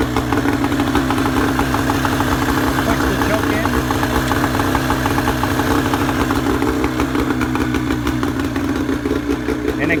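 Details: Boat outboard started for the first time of the season during de-winterizing, on a flushing hose, choke used, shifter in neutral: even, steady idle with a regular beat and no misses, knocks or stumbles; normal idle.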